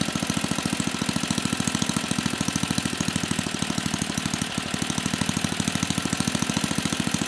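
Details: 34-year-old Tecumseh H30-35387Y on a Troy-Bilt Tuffy tiller, with a new clone carburetor after a no-compression repair; steady even putter at fast idle, firing cleanly with no misses or knocks; sounds healthy.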